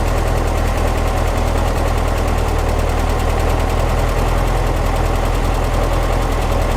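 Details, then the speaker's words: 1955 Porsche 356 Pre-A Speedster, stone cold, at a steady, even idle with a regular low pulse on both freshly installed Zenith carburetors without air cleaners; hitting on all four, smooth, no carb leaks; initial setup before warm retune. "It sounds pretty good. It's hitting on all four. It sounds pretty smooth, and it feels smooth as well, which is great."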